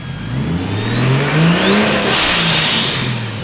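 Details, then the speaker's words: 1JZ VVTi swap, first start-up, used turbo taken from another car: high whistling whine rising and falling with revs, louder than it should be despite no shaft play and good oil; cause unknown. "so the turbo is used it was on our V 25 and it it might be hurt it winds a lot louder than it should"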